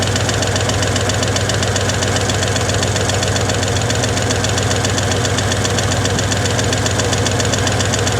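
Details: 1961 Chevy Apache V8 idling roughly with a choppy, uneven beat and misses, timing just set to about 12°, not yet up to temperature; owner thinks it's running out of gas, with little fuel drawn through the fuel filter. Cause unconfirmed.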